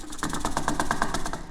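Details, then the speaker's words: 275k-mile 2011 GMC Denali whose tank won't take fuel. Shaking the removed evap breather hose gives a maraca-like rattle: charcoal particles from a failed charcoal canister backed up and clogged the breather line. "Sounds like moracas. Basically, we have a bunch of uh charcoal particles in the lines."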